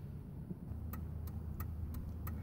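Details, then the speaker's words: Hazard flashers (four-ways) switched on with the engine idling: crisp, evenly spaced flasher relay clicks, about three a second, under the steering wheel, from an LED-compatible Trident EP27 flasher relay; normal hazard flasher relay clicking. "so I've got the uh fourways on and where you can hear the clicking and we're going to stick our head and the camera on a flashlight underneath the steering wheel here and see what there is to look at"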